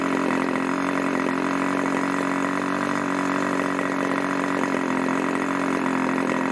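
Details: Irvine 40 MkII 1980s ABC glow engine, twin-needle carb, 10x6 Master Airscrew prop, 7% nitro 20% oil fuel; steady high-pitched full-throttle scream, dead even, no sag, misfire or surging; about 12,300 rpm after needle tuning; normal high-speed run.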